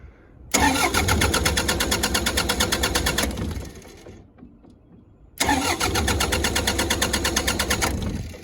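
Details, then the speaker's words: The generator on a Prevost H3-45 RV, after running out of fuel with the fuel valve left shut and then getting a new fuel filter, gives two long bursts of fast, even starter cranking and never catches. Crank, no start from fuel starvation. "so i'm hoping now that i got the fuel filter in there and uh everything on it'll go ahead and start right up probably might rain it out of fuel so probably take it a minute to cycle through"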